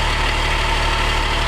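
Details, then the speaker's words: Ford F450 with swapped-in 12-valve Cummins diesel, idling with foot on clutch pedal: fast, even rattling chatter under the engine note from the clutch center plate, not the transmission; engine otherwise runs strong. "That noise, you'd think it's the end. You'd think that it's a transmission, but actually it's that that center plate in the clutch making that noise."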